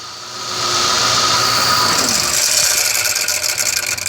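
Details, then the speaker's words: Ford Crown Victoria Police Interceptor V8 at switch-off; harsh, raspy high-pitched noise with a falling whine as the engine spins down, heard at shutdown as well as startup; traced to the alternator. "I'm going to turn it off and you guys are going to notice the specific sound that it makes when it turns off so you can see it's not always when you turn it on but as well when you turn it off okay with the problem is is the the alternator right there"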